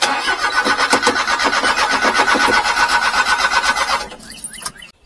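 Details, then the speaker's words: Mini-truck that lost power and stalled, with a quarter tank and getting fuel: starter cranks evenly at about four turns a second with uneven puffs and popping, but the engine never catches; timing belt suspected; crank no start. "you think the timing BT went wa it's popping like that"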